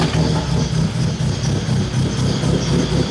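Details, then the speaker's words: Honda K24 swapped BMW E30 with stock cams and a Link ECU: lumpy idle with an irregular pulse around two per second; the ECU saw it running rich but not correcting, and base ignition timing had not been set. "you guys can see that it didn't change the idle at all and so the car is still running super rough"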